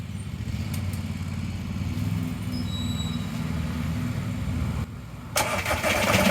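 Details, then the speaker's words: ALH 1.9 TDI diesel swapped into an Audi A4, started after the injectors were bled and the timing, off by two teeth, was corrected: even, steady diesel clatter at about four beats a second with no stumbles or knocks. It idles cleanly and healthily. "I'm just so happy this thing runs so I want to fire it up once more just for a good measure"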